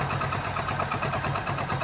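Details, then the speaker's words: Freshly rebuilt Hero Splendor motorcycle engine after a full rebuild with piston rings fitted: a steady, even idle with regular exhaust pulses and no knocking or tapping. Before the rebuild it made a harsh rattling noise and the oil was very low. "ਸੀੀ ਬਹੁਤ ਪਿਆਰੀ sound ਬਣੀ ਇਹਦੀ ਕੋਈ ਵਾਧੂ ਘੱਟ ਆਵਾਜ ਨਹੀਂ ਕਰ ਰਹੀ ਗੀ"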